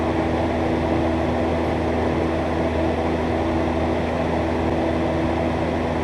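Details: Miller 330 TIG welder fusing scrap tube with no filler; the preflow time-delay relay is suspect but the gas and solenoids work. Steady, even electric buzz with a fan hum, no sputter or crackle; the arc runs clean and healthy.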